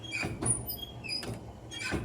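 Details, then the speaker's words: 1964 Chevy C10 wipers newly wired with two kit wires and a small blue wire to the switch: soft repeating sweeps about two seconds apart with a light squeak each pass; wipers cycle normally. "So with those 2 wires supplied out of the kit into there, and with this little bitty blue wire into the back of our switch, we can now turn that on. And we got windshield wipers."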